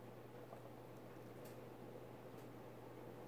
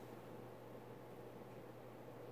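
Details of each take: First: Emerson 1895 Series 52-inch ceiling fan, model CF4352PB04, KB-55 stack motor, mid-to-late 1980s, on high speed: a low, steady electrical hum under soft air noise, more than expected for a stack motor. Motor hum. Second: Emerson 1895 Series 52" ceiling fan CF4352PB04, KB-55 stack motor, mid-late 1980s, on high speed: quiet, steady airy whoosh with a faint constant motor hum, slightly more than expected, and no grinding or ticking. Running normally.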